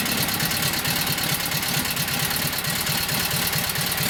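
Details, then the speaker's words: Kohler KT17 twin, first start after governor repair and full reassembly, no choke, idling just after start: loud, fairly even chuff about two beats a second with no knock or hunting; runs steady. "Okay, let's give it a whirl. So no choke, just sitting in idle."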